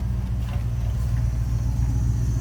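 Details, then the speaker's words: 1995 Lincoln Mark VIII that wouldn't start after a winter storm, fuel pump relay bypassed with wire across terminals 87 and 30: low steady hum of the fuel pump running; owner suspects failing pump. "whatever it is I hear it now whatever it is I hear it the fuel pump"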